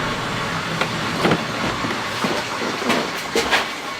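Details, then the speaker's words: Car with one wheel lifted, driven slowly in gear under engine power to find a humming hub bearing: the wheel turns with a soft, even rush and no bearing hum, so this bearing is normal. "вращается нормально"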